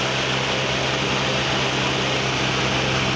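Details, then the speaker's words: 1989 Mazda 323 (BF) with AC on; its cooling fan stays on with the key off: steady, even rush of air with a low constant hum. Radiator and condenser fans run normally. "Alright, it's AC on, but it's a bit loud. Probably you can hear my voice or the fan here."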